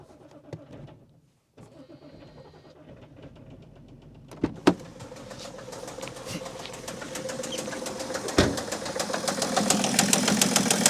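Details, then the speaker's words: 2008 BMW E65 730d diesel, first start on a recharged, previously dead battery: weak cranking, then a loud sharp knock about three times a second over a rough idle, seemingly not firing on all cylinders. Owner suspects a rod bearing. "starting this thing up it did not sound healthy at all it kind of sounded like a rod bearing issue i'm not really sure but it did have a very loud knocking from the engine"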